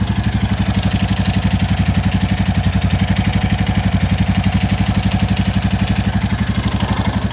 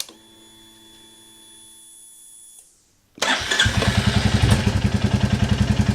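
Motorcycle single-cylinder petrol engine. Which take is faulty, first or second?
first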